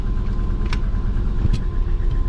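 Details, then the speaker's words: Twin-turbo Subaru Forester after reflash with injector issues, first drive: deep, lumpy idle with uneven beats and sharp pops, sounds like running on three cylinders; misfire, owner suspects injector latency. "first time it's moved kind of sounds like it's running on three it's gonna sound mean"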